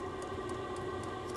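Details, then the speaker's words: Vevor 5kW diesel heater just after ignition on first startup, on max heat setting, fuel flowing: steady burner roar with two even tones and crisp pump tick about four times a second; running cleanly. "I do have fuel running through that [Music] line it's really starting to pick up now as you can hear the pump"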